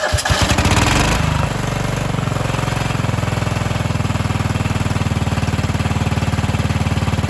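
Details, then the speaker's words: Cub Cadet 2146 lawn tractor, 14 hp Linamar single-cylinder, sat three years: settles from a rough start into a steady, even thump around three beats a second. Normal idle. "All right, so I've got it in the garage here. We've let the engine idle for a little bit, let it get nice and hot."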